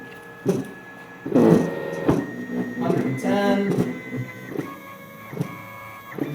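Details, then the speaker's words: Open-loop stepper motor on a CNC X-axis, filmed close to the motor while a program keeps raising the feed rate and a rag adds resistance. Whiny stepped tones with rough buzzing; it loses steps near 190 in/min and stalls around 270 in/min. "can hear it it's making some noise [Music] 190 it started in the steps 270 it steadily choking out so the open-loop stepper like I said at 190 inches per minute I could feel it starting to lose steps with whatever resistance I could apply with this rag and then like we said around 270 it just totally dies"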